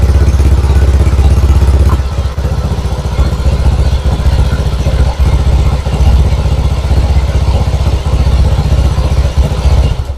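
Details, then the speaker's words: Honda Vario 125 scooter that had lost ignition, with a burst ECU found. After the ignition check it fires and settles into a steady, even low idle with a regular beat, starting cleanly and running smoothly. "Sudah hidup ya teman-teman. Kita coba lagi, hidupkan lagi."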